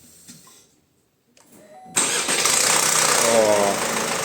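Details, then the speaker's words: 2019-2020 Opel Insignia 1.6 B16DTH diesel, 136,000 km, hot start before repair: metallic chattering rattle over idle that does not settle, from a stretched timing chain. "Вот вот вот это страшная Тема и Не успокаивается глуши её быстрей Вот вот эта тема о которой шла речь"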